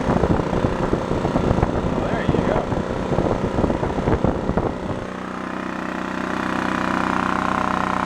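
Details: Scrapyard Honda EX650 small generator, started on choke, cranks with clatter then settles into a steady, even hum holding speed; running normally.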